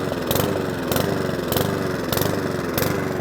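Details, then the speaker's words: Mountfield 414 lawnmower after fuel drained from the bottom and leak check (possibly tipped up): revs rise and fall about every half second in a repeating surge; hunting and surging from fuel starvation. "if you do all that hard work and it's still hunts and surges because they do and it happens to me too"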